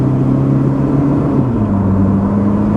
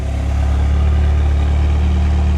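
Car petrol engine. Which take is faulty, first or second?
second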